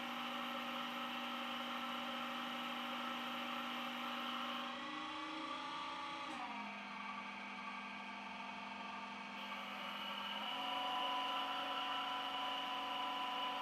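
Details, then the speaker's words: Schaublin 125-CNC lathe on a LinuxCNC retrofit, with software-controlled VFD, CVT and backgear: the whir holds, steps down, wanders, then climbs mid-cut as the ratio calculation freezes and recalculates under constant surface speed, so the spindle speed is hunting. "As you can hear from the speed changes, it's sort of right with following the constant surface speed velocities needed, but I have to freeze the ratio calculation so much of the time that you get these long pauses where the thing's recalculating, and then halfway through the cut you're accelerating again."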